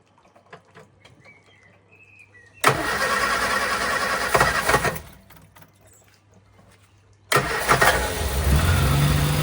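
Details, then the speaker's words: Morris Minor Traveller, first start after a full ignition service and tune-up (leads okay): two short cranks, then it catches and settles into a steady, even idle with no misses; starts and runs cleanly. "Okay, first start after tuneup."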